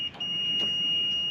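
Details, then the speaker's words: Kohler small engine on a Woodland Mills sawmill, coil unplugged, meter lead on the coil's kill wire. With the ignition shut-off switch slid to off, a steady continuity tone follows a short dropout, showing the switch grounds the coil normally to shut it off. "that shuts It Off off that should have spark that provides a ground to the coil that'll shut it off"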